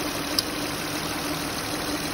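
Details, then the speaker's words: 2007 Honda Odyssey V6 after replacing aged power steering O-rings that let air in and caused cold-start cavitation whine; fluid topped off, turned lock to lock; smooth even idle with no whine or squeal. "This looks like a success. Hopefully I won't get that squealing anymore."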